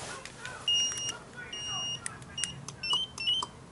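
Sharp repeating high-pitched electronic chirps in short bursts over a quiet room; the add-on bike alarm has been set off.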